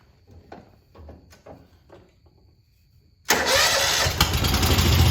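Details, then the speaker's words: Old Stander mower, about 3,000 hours, running on number two cylinder only: number one cylinder dead from bent pushrod, stuck exhaust valve and pushed-down exhaust valve guide; handling clunks, then rough lopsided running, surging at idle from missing carburetor Welsh plug. "but it is actually running but it's running on the number two cylinder over here"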